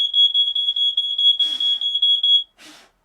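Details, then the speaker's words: RV trailer smoke detector with an eroded test-button contact, tested by burning a piece of paper: loud shrill beeping around 3 kHz in quick pulses, cutting off abruptly; detector alarming properly on smoke. "Burn a little piece of paper. It works."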